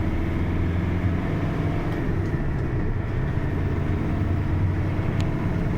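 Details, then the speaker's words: GAZelle truck test drive after transmission whine repair, accelerating in fifth then fourth gear around 60 km/h where loud howl used to occur: low even drone and road rumble, rear axle quiet. "Ну что, тест-драйв, вот он. Всё чётко, мост не воет, не гудит, всё отлично."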